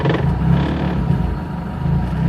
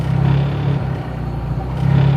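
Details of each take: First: 2003 Hyundai Tiburon 2.0 Beta II, GT3076R turbo at 26 psi, Pauter rods, CP pistons at 9:1, meth injection, newly on MS3X engine management: the deep idle swells cleanly on quick throttle blips and returns smoothly. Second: Idle hunting on a 2003 Hyundai Tiburon 2.0 Beta II with GT3076R turbo at 26 psi, meth injection, 9:1 CR, newly swapped MS3X Megasquirt; low idle gently swells and sags. Heat soak into the intake manifold after shutdown skews manifold air readings; Megasquirt over-corrects.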